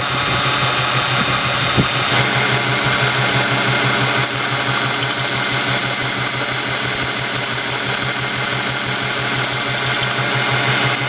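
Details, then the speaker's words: 2014 Mazda petrol engine idling, code cylinder one misfire: rough, uneven pulse, about three stumbles a second; cranking sounded normal and coil spark gap looked fine. "here we have a 2014 Mazda and just by pulling it in I can hear a misfire so checking the codes of course cylinder one misfire"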